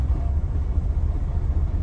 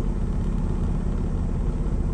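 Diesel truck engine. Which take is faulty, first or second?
first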